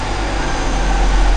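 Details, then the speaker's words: Mercedes-Benz W203 C320 after replacing the faulty fuel pump under the left rear seat, which had caused power loss, hesitation and stalling: the engine now runs with a steady, even low hum and no misses or knocks, and the new pump is heard running. "takmakta ile beraber dönüyor ya pompanın sesini duydum Evet kolay budur"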